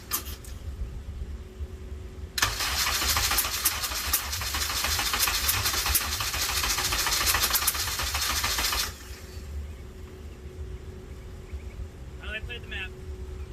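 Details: K24A-swapped DC2 Integra on E85, first-ever start after fresh oil change: starter spins about six seconds at a steady three to four beats per second, never catches; crank-no-start.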